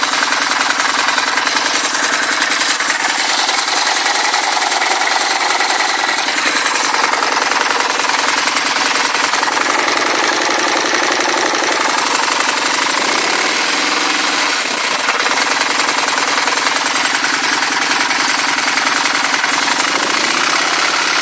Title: Phantom engine knock??